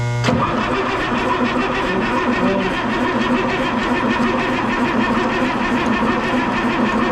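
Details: M35A2 military truck diesel: even starter cranking at about five compression pulses a second with no firing or catch; turns over but won't start.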